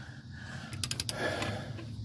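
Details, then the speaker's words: Torque wrench set to 130 lb-ft tightening Dodge Ram lug nuts after the Worx WX272L 20V impact wrench spun them on: quick cluster of sharp metallic clicks over a light hum, the wrench breaking over at the set torque. "Click there. You hear the click there? Get nice and tight. We heard our click, and we stop exactly when we hear it."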